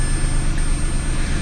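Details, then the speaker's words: 2004 Mazda6 with a 61k-mile 2006 Ford Fusion 3.0 V6 swapped in, restarted after the PCM relearned: smooth, even low idle hum with no knocks, misses or squeals. Normal idle after start. "fires right up runs mint I'm excited"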